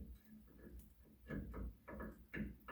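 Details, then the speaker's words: Original 1972 Chevelle front suspension, tie rod rocked by hand: soft dull clunks in pairs from loose play. The boot is empty and the tie rod end is long dead; the inner tie rod is expected to show the same wear. "it's there's nothing in there this boot and this tie rod and died a while ago and our inner tire rod is going to have the same issue"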